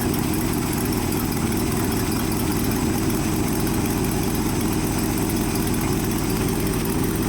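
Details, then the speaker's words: Ford F-600 dump truck petrol engine after new electronic ignition, carburetor, choke, plugs and brand-new water pump, idle just adjusted: steady, even low rumble with no misses, knocks or hunting, sounding much smoother than before; normal idle. "It sounds 100% better now. It sounds really smooth now, dude. It sounds really good."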